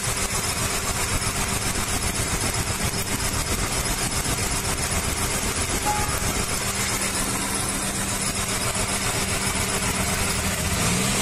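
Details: Maruti Suzuki 800, about a 2010 model running on CNG and petrol, with codes P0301–P0304: lumpy idle with a rhythmic stumble. Cylinder one is dead because a spark plug wire touching the air cleaner clamp is shorting, so it runs on two cylinders.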